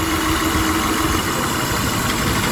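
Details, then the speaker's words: 1999 Honda Odyssey, about 301,000 miles, long sitting, idling with a dense uneven chug and shaky pulse while coil packs are unplugged one by one to find the dead cylinder; misfiring cylinder, rough idle. "it definitely slows the misfire so we'll just unplug each of these and see if it gets worse hear that one change yeah so that's not the one"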